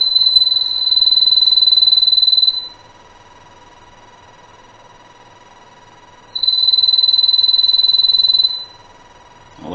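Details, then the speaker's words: Hart telephone after repair, hook switch screw refitted, plugged in with dial tone, redialed and hung up to ring: clean steady high trill in two-second bursts with even pauses, the ringer works normally. "And I'll hang up again, and I want to ring the phone."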